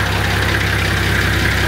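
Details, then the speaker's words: TD42 diesel, cold, restart after an earlier thumping sound: even, steady low idle with smooth, regular firing and no thumps or knocks. The noises are all gone. Normal idle. "honing into those noises they're all gone look how smooth the taper cover"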